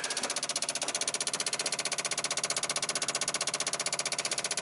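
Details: 1995 Dodge Ram 2500 V10, cold no-start: key on, engine off, fast even sharp buzzing clicks about four per second as relays chatter; maintenance light flickering, owner says it only has a chance to start after warming with kerosene heater; cause not yet found.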